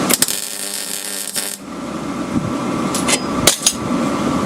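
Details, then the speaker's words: MIG welding Land Rover rear chassis repair: after some knocks, a steady even frying crackle without popping or sputtering, weld free of bubbles; normal MIG weld. "so that sounded a lot better and then you can see in the weld itself it doesn't have the bubbles in it"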